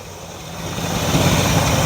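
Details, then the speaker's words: 1957 Chevrolet Bel Air V8 barn find after a new starter was installed: cranks nice and smooth, then a steady low rumble that firms up as it settles, no knocks or misses; idling evenly and healthy. "cranks nice smooth well it continue to work like that or is it gonna I think it will at least it runs all right she's a runner"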